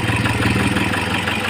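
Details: Toyota HiAce 2KD diesel idling with a rough, uneven clatter and lumpy beat; misfire and knock, injectors suspected and checked by cylinder balance test.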